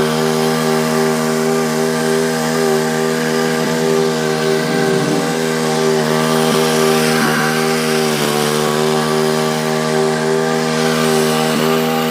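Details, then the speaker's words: Husqvarna YTH2148 lawn tractor with 48 in deck and Briggs & Stratton Vanguard V-twin: engine runs steadily under a constant whirring from worn, loud deck spindle bearings, noise coming and going intermittently; deck also needs a new belt. "oh here the deck needs some work too bearings are loud and everything I know it needs a deck belt"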